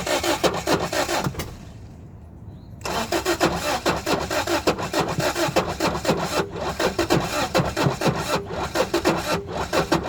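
Starter churns in quick steady beats, about three or four a second, with a brief pause, but it never catches; cranks, won't fire.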